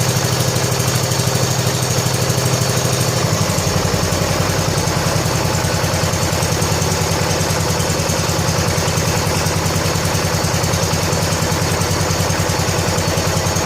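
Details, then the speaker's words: 1970 John Deere H3 garden tractor engine after blown head gasket replaced, old oil, cold evening about 47–48°F, idle turned up: catches after a few seconds and settles into a steady, even low idle with a clean beat; running healthy. "Let me grab a screwdriver so I can turn it down a little bit, because there's no reason for it to run this fast now, because it's going to run good."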